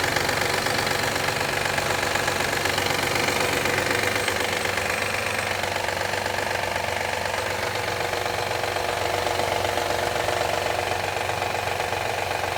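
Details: 2013 Honda Accord EX-L V6 at a steady cold idle with a loud, fast, even clapping clatter of about four beats a second; it happens every time the engine warms up in cold weather.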